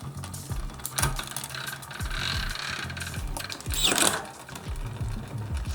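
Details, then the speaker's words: Bike drivetrain with a freshly waxed chain, run up and down all the gears: light, even whirr with soft regular clicks and no grinding; smooth, healthy drivetrain. "So this is the sound of it now. So going to run it up all the gears, up and down. There you go. One fresh wax chain."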